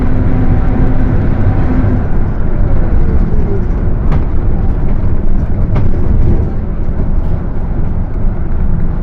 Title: [Engine Sound](Diferencial Roncando)Torino S Mercedes benz OF 1721 BTC 5/Viação Estrela 100.141